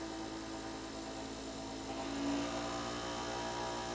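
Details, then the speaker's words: Hercules 8-inch variable-speed bench grinder (5 A, 0.9 HP, 2000–3400 RPM), new, mic close by, run up through speeds to full: quiet steady whir, clean even tone, no wobble or vibration; spins smoothly, balanced and exceptionally quiet. "so it works very very smooth and exceptionally quiet"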